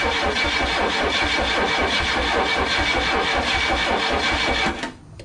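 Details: Chrysler LeBaron cranks at a steady, even rhythm for several seconds but never fires, because the distributor was installed 180 degrees off.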